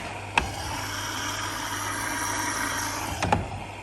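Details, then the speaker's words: Electrolux EVKF 12844S touch-key washer in diagnostic test mode, inlet valves filling the prewash, then the main wash compartment. Steady low hum with an even rush of water between two clicks; the valves open and fill normally. "Đầu tiên lấy nước bên ngăn giặt sơ. Tiếp nữa bên giặt chính."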